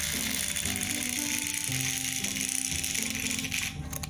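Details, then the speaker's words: HO-scale model locomotive at full power, after a new cross beam was added between motor and worm gear: thin motor whine with uneven gear chatter and ratcheting, loco labours and fails to move. "full power, and it's trying to go."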